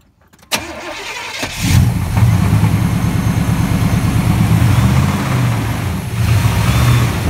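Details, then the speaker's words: Toyota truck with a 350 engine and 224,000 miles, oil changed every three to five thousand miles: cranks, catches, then settles into a fast, uneven, diesel-like clatter over idle; heavy internal engine knock, bad motor. "we show you what 350 motor is not supposed to sound like"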